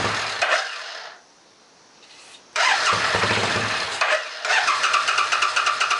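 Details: A Suzuki S50 Boulevard 800 V-twin, believed to be a 2006, that sat for years catches after cranking with brake clean sprayed into the front carb, then runs lumpy with uneven pops. It had been running only on the rear carb: the front is starved of fuel and the rear overflows, so both carbs must come off.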